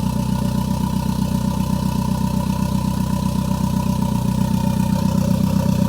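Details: Toyota MR2 with Gen5 engine swapped in from a Caldina, first start with no exhaust fitted: loud, rapid, even exhaust pulses at steady idle, no miss; normal idle. Check engine light on afterwards, owner suspects bent damaged O2 sensor.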